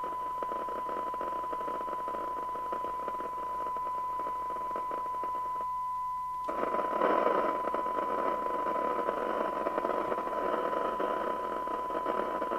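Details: Spinneytonic CB199 UK CB27/81 mobile CB radio (fake Amstrad chassis) on the bench with signal generator: hissy, thin receive audio over a steady tone, no clear signal; receiver still not pulling in, suspected IF out.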